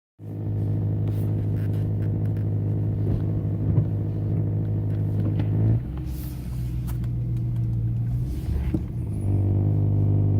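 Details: BMW E90 M3 engine running with a steady low buzzing drone; cause unknown.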